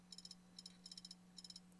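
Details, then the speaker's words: Failing laptop hard drive: quick bursts of four or five sharp high ticks repeating about every half second over a faint hum as the internal mechanism retries reading and fails. "That's the internal mechanism trying to read the hard drive, and it's failing."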